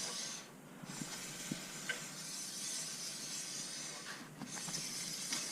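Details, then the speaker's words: Suzuki RMZ250 dirt bike front wheel after new brake pads and disc, caliper piston pumped back out: soft steady hiss with faint light ticks as the wheel spins, pads just kissing the disc, normal. "So this is going to work well. You can actually hear the pads touching on that disc"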